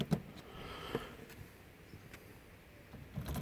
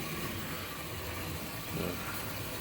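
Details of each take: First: HST model locomotive with CD motor and DCC conversion: the loose pinion flops behind the cog and comes off, so the motor whirs steadily with nothing driving after a quiet start; needs re-tensioning. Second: HST model locomotive with CD motor and DCC conversion slowed to realistic scale speed: soft, steady motor whir with a light mechanical rattle, no surging or binding; it runs alright.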